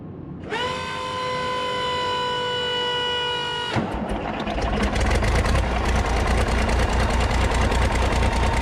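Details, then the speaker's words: 8.3 Cummins diesel in a road grader, starting after rebuild, revved to purge air: rough clatter after a hissing start with uneven low knock hard to pin down; owner unsure, possible lower-end knock; oil pressure rose when revved. "Seemed like it had a lower end knock a little bit, maybe. I don't know. I couldn't tell."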